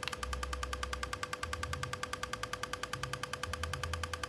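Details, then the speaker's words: Repaired Godox V850 speedlite burst-fired after full-power test: quick, even pops at about three per second over a steady high recharge whine that never falters or drops out; recycling properly. "Enggak ng-edrop lagi ya Om Dib seperti ini tembakannya juga ngisi terus nih Om sampai saking cepatnya enggak masuk ke kamera ya"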